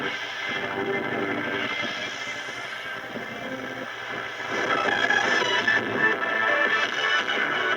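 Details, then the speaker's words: 1935 Silvertone Model 1968 13-tube radio after recapping and new power resistors, run at reduced 80 volts before tuning, no antenna in a basement: a station comes through clean and steady with music, no hum, crackle or fading; normal AM reception. "i don't think i'll get much on shaw waving in a block building here in the basement i don't have an antenna but you can hear it's trying to pull in some stuff"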